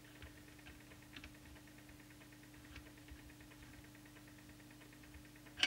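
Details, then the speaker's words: New Cobra 29LXEU 80-channel CB radio on transmit at about 4 W during power adjustment, heard through an extension speaker: faint, regular ticks about twice a second over a steady low hum; annoying transmit tick, cause not found. "there's an annoying ticking sound can you hear this I'll just not make any noise when I go into transmitter I've got the extension speaker plugged in that would annoy me something chronic"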